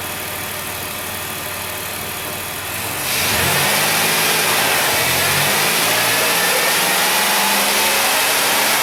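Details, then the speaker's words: High-mileage 2008 Dodge Grand Caravan, replacement 3.8 L engine just started and coolant filled: steady idle, then a brief blip rising smoothly and settling with no knocks, ticks or hesitation; healthy. "so that's good give her a couple of little rev up Tun Up here"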